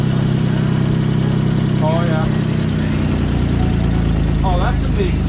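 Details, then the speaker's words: Car started briefly after an oil change, idling: steady idle with a quick uneven puffing tick about three or four per second at the flex pipe; exhaust leak. "that's not in the manifold yeah that's a straight exhaust leak right there"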